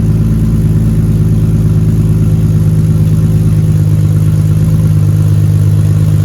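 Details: BMW E36 with stock unopened M52 turbo build, new exhaust with muffler but rear section unfinished, microphone behind the car at the exit: deep steady drone with even low pulse, slight rise on small blips, runs smoothly.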